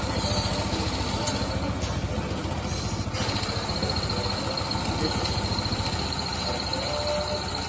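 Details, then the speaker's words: Honda PCX 160 scooter idling after repair of a recurring MIL fault and DTC erasure, O2 sensor voltage now moving: steady, even putter with no misses and no MIL flashing; back to normal. "lampu milnya juga tidak ada kedipan atau tidak ada kegagalan ini sudah selesai ya untuk kasus tersebut ini motornya sudah kembali normal"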